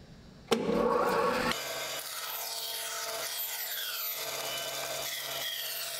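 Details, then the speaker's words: Wood-cutting bandsaw, guard and guide set to material height, material fed with push stick: steady blade hiss with light, even rasp through the wood over constant motor hum; the regular rhythmic sound of a normal, clean cut. "So as I'm pushing a piece of material through the saw, I'll notice the regular rhythmic sound of the blade cutting."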